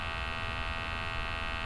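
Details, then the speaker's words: MultiRAE gas detector being switched on: even steady electric buzz of the sample pump with no surging or rattle, running normally during startup checks. "so the detector and the pump comes on as you can hear it gives you dates it's checking the sensor IDs"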